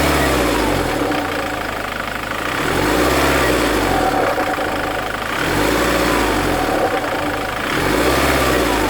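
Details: Ford Mondeo Mk3 TDCi 130 diesel is revved and released, giving a hollow sucking whoosh as the throttle closes; turbo and EGR already replaced without curing it, owner suspects a faulty injector after occasional misfire-like running.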